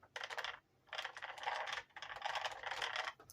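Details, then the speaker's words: Arrma Senton 3S RC truck: spinning two wheels at once gives short bursts of rapid light clicking, each about half a second; spinning one wheel is silent. Suspected rear gears or motor, possibly a normal safety slip feature. "produces that drive shift clicking now your representative suggests that it could be way back here in the gears uh possibly the motor"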